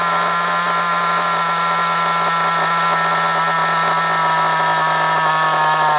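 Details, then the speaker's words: Kyosho MP9 nitro RC buggy after tick-over screw adjustment: a steady high buzzing idle holds an even pitch for several seconds without dropping out, solid under braking. Idle is properly set and healthy. "The tick over stays solid. That's because I got it balanced perfectly. Absolutely perfect."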